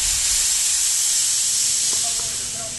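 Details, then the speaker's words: Homemade 30-gallon shop air compressor, 2hp motor with used pump, around 90–100 psi at shutoff: sharp steady hiss with no motor noise as the unloader relief bleeds piston head pressure so the motor restarts easier. Normal. "What that does is, instead of having 100 pounds for this piston to kick off on, it releases the pressure. You hear it build up."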